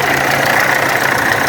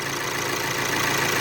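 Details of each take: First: VW Amarok turbo diesel at idle: rough, uneven knock about two or three per second over a metallic clatter; camshaft and high-pressure pump timing were out, water pump bearing worn and leaking coolant. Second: VW Amarok turbo diesel, automatic, after timing belt and tensioner replacement with cam and high-pressure pump timing corrected: steady, even idle with smooth clatter and faint whistle, no knock or tick, no more coolant leak; healthy.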